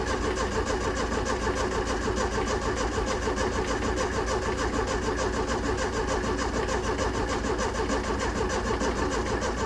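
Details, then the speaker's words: 1970s Layton roller compactor with Ford Taunus 60-degree V4 and points ignition, oil-bath air cleaner refitted: starter cranks steadily at about three beats a second but it never catches; no spark. "all right well you see that now I have no spark which is so stupid this thing never had that issue"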